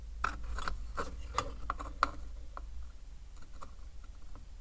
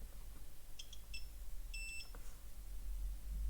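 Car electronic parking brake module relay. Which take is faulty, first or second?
first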